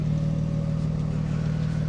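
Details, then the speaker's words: A 1995 Mercedes E320 S124 wagon under restoration on its second drive, running with no muffler because the replacement has not arrived. Deep, loud, booming drone with a raspy pulse under acceleration, far louder than stock. Loud exhaust from the missing muffler. "and as you can hear the muffler has not arrived the muffler is actually stuck in North Carolina"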